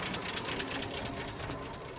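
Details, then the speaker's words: 1976 Postal Jeep (long parked in woods): fast, busy valve train ticking clatter over rough idle, steady; no reading on oil pressure gauge, owner suspicious of oil supply though engine runs well, little smoke. "Nothing on the gauge. You can hear valve train. You can hear a lot of things."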